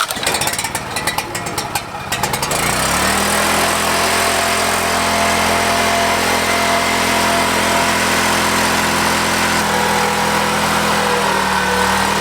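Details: Used Husky 3650 generator, single pull start on choke, about to be tested under load; brief clatter then steady even hum with no misses or surging, running healthily.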